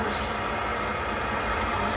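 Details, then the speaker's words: Coleman 530 G.I. A46 pocket stove after teardown, cleaning and reassembly, flame adjustable toward simmer with cleaning rod: steady, even hissing roar, no sputter or surging, clean constant flame; burner working properly. "so i guess you could use your cleaning rod to uh create a simmer so there you go this thing up and running it works"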